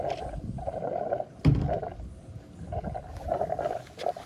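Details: Toyota Echo fuel tank: irregular bubbling gurgles coming and going in short bursts about every second; cause unknown.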